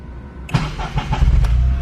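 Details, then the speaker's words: Turbocharged Honda Insight with small ball-bearing Garrett turbo, IMA disabled, 2-inch exhaust with catalytic converter retained: brief 12-volt starter crank, engine catches and settles into a low, quiet idle; normal starter-motor start. "Again, no IMA, so you'll hear the way it starts up. It starts up on the starter motor."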